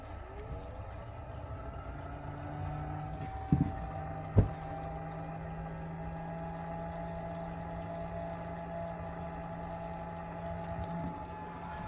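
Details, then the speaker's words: Uncovered internal cooling fan in a Race America 3800 chronometer timer, powered on: steady low hum, faint rough whir and odd clicks; worn fan bearings, still working. "hear that fan going there's no cover on this fan um it's seen better days for sure but it does work the bearings in that fan are pretty bad"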